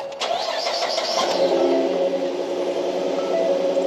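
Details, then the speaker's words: 2013 Ford F150 after water pump replacement; it previously had a squeal first blamed on an idler pulley. The engine cranks, catches quickly and settles to a smooth idle with no belt squeal or pump whine. Normal start and idle, repair successful. "I don't hear any squealing."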